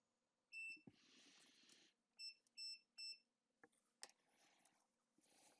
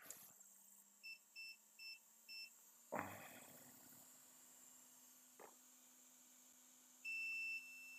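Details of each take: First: iPhone 6S with no backlight, after new components were soldered near the screen connector: four crisp high-pitched beeps from a multimeter in beep (continuity) mode. The reading on the display connector is back to normal. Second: iPhone 6S with a backlight fault, roughly disassembled before: the continuity probe gives a few short beeps, then a steady tone. The board still has a short circuit to ground; a small capacitor is suspected.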